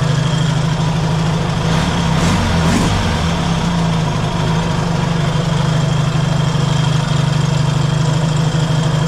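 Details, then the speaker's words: Yamaha XS650 twin after checking cam timing suspected one tooth out and reinstalling the engine: steady even low idle with a brief rev blip settling straight back; normal idle and revving. "okay I got the engine back in the bike and got the fuel tank on it this time and it's working good but uh yeah so we'll start it up and hear how she sounds running much"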